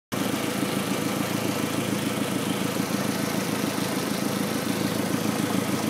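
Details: B6, rough idle for a week; idle smooths after unhooking the SAI tube. Idle hunts and stumbles with an uneven pulse of about three beats a second. Owner suspects the SAI system, unconfirmed.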